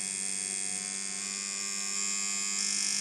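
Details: Dan Kubin Sidewinder V3R tattoo machine after the fix, rubber bands on, stepping from 4.5 to 6.5 V: an even high buzz that steps up slightly with voltage, with no stutter. Running smoothly.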